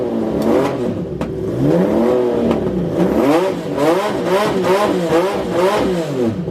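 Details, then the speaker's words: Honda CBX six-cylinder with newly fitted Delkavic 6-into-1 exhaust, after new spark plugs cured running on five cylinders: starts and revs cleanly, smooth even howl, no stumble or missing beats; runs on all six, though still a bit lean. "I got brand new spark plugs in it all, and it runs on 6. Give this a listen guys, this sounds fantastic."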